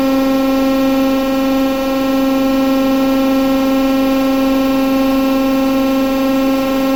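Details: TEP70 0237 V16 locomotive diesel after repair, running once the oil-empty governor filled and it took fuel: loud, steady drone, even low pitch, no knocks or misses; normal running.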